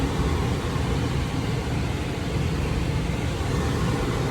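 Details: Gas furnace during maintenance, listening at the inducer motor for debris in the exhaust flue: even low drone with steady airflow rush, no rattles or ticking; normal inducer motor running.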